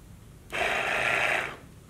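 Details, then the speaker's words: Water pump from a Fleetwood F53 Class A RV, bench-powered after being unjammed and reassembled: about a second of steady, even buzzing hum at one pitch, no rattle or grinding. The motor runs freely again. "Hey, we're still working. Okay, so we know the motor's now working."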